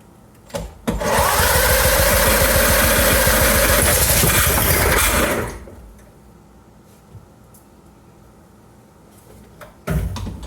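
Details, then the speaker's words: 1975 Briggs & Stratton 3hp horizontal-shaft 8 cubic inch engine, first try: catches and runs hard a few seconds with a shrill screaming squeal over the firing, then cuts out. "oh that sounds screamy but it did run"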